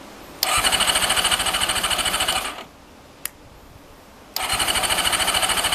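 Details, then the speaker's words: Honda CBR400RR NC23 with leaking temporary fuel pipe, tried on carb spray: starter spins engine with fast, even whirr, twice, never catching; spark plug out shows no spark. "there's no spark so i've got spark plug out and i've been um spinning that over and there's no spark"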